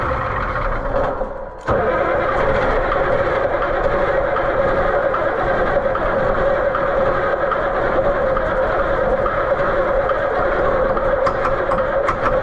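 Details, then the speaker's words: White 4-150 tractor, Caterpillar 3208 V-8 diesel; sustained constant-pitch starter drone that never fires, even with ether and extra voltage. Owner suspects insufficient fuel, possibly related to the angle. Cranks but won't start. "Well done. We rode that pony into the ground. I'm just not convinced that it's getting enough fuel."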